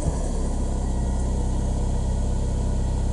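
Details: Citroen Saxo VTR after a new exhaust manifold and catalytic converter install, idling right after the engine warning fault code was erased with a code reader. Steady even low idle hum with a smooth beat, no misses, knocks or rattles; idling normally.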